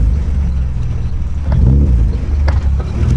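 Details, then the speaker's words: Honda H22 AWD build under drive: deep drivetrain rumble with sharp irregular pops as the car rolls by; owner suspects the rear diff, possibly the cups, not confirmed. "Sound like the diff. Sound the diff. Something in the diff because it just you can hear it popping."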